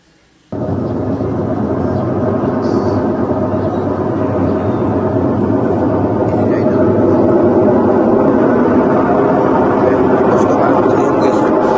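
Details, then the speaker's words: Whirlpool top-load automatic washing machine on spin: very loud, booming rumble starting abruptly and building as the drum speeds up, diagnosed as a failed gearbox, to be replaced. "Yung tunog niya guys parang ano ah sobrang lakas, sobrang ingay no dumadagungdong. So ibig sabihin guys ang problema nito gearbox no pag ganito."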